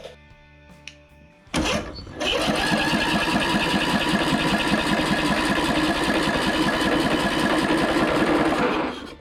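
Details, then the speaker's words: Free Toro 14.38Z zero-turn mower, coil regapped to flywheel, good compression: engine spins on the starter at a quick even beat about seven seconds without a pop; no spark, ignition coil confirmed bad. "all right that answers that question the coil is bad it's still not sparking and my ground wire is not connected yeah so yeah it's not sparking"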